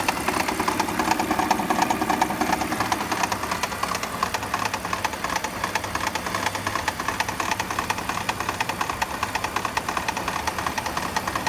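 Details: BMW E46 petrol engine at idle with a loud steady knock, about three beats a second; the knock speeds up then disappears on acceleration and gets quieter when steering left or right. Owner tightened spark plugs thinking they were the cause.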